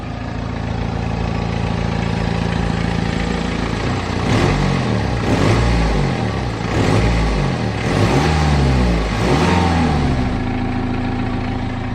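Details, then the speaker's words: BMW 5 Series after replacing worn exhaust mounts; steady idle with clean throttle blips, exhaust now still with only slight vibration versus shaking before, less cabin vibration; healthy normal idle. "the exhaust is honestly so still i mean there is obviously the slight vibration but that is tons better than it was before"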